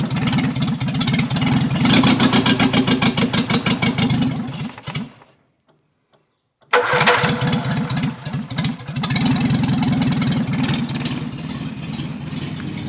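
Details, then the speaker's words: 1955 Morris Minor with a freshly installed engine, no exhaust downpipe fitted: loud raw barking pulses rising with throttle, a brief stall and a harsh restart; sticking throttle, uncertain accelerator cable routing, oil pressure good, charging. "So yeah, start it up and get it up to speed. Oh, there's no exhaust on yet either, we kind of can't find the downpipe."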